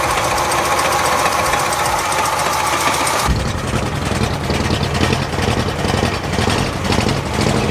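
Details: 1977 Oldsmobile 442 sat 30 years, after installing new fuel pump fed from a gas can: engine catches and settles into a loud, chuffing idle with fairly steady beat; normal running engine.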